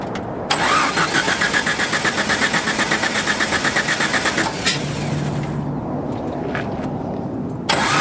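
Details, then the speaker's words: Steady cranking at about four beats a second with no firing, never running: distributor cap was installed rotated, so ignition wires were on backwards, starting at cylinder five, giving wrong firing order. "I figured out what happened when I marked on this distributor cap where each ignition wire should go I actually had the cap switched around so when I installed it and it can only install one way it's backwards"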